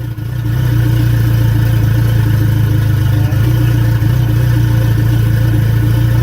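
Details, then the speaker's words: Mitsubishi 4G63 turbo engine at smooth idle after cam gear timing was re-adjusted 3 degrees: steady even idle with no stumble, much smoother than before, with hesitation reduced. "so now we're gonna see what happens now hopefully it like is super smooth idles so we're done well that is way better that's pretty [ __ ] smooth what's that idling at"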